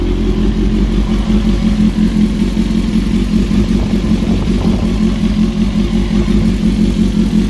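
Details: Honda CBR954 engine idling before installing a new cam chain: uneven metallic clatter, about three a second, over a steady mid-pitched idle, pointing to a worn, slack cam chain.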